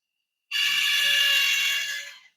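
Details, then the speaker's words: Woodland Mills RS30 Pro sawmill blade sharpener, grinding head down with the pressure plate too tight: the motor gives a thin steady high whine over a light buzz. It is subtly quieter when the plate is backed off. "hear that little bit of whining there versus if I just back off a little bit it's a subtle difference"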